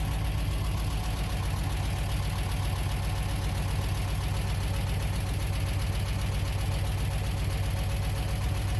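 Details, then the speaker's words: Bitter SC 356, just revived after a no-start, slow fuel pressure build-up: steady idle with a hard, regular knock about four per second; owner concerned, worst case may need to open the engine; cause unknown. "but the guy is running it has a nasty knock that I am concerned about I don't know how concerned I need to be but in worst case I have to open the engine"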